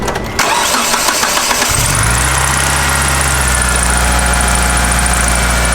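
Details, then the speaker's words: 1997 Mitsubishi Eclipse GSX with a known major oil leak: starter cranks briefly, the engine catches at about two seconds and settles into a steady, even idle with no knocks; normal start and idle. "so it sounds good i'm gonna go ahead and turn it off"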